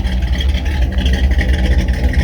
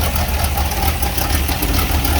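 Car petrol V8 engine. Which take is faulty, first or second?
second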